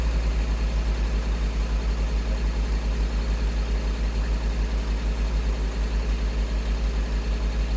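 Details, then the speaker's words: Fiat Coupe after fixing loose fuel pump connector pins: even low idle pulse, steady, no stumbles or cutting out; revs fine, slight front exhaust noise, owner suspects exhaust pipe needs replacing; to be warmed up. Normal idle. "well it hasn't cut out yet sounds okay actually a little bit of um an exhaust noise coming from the front there so it might want a new exhaust pipe on it well it revs it doesn't sound too bad"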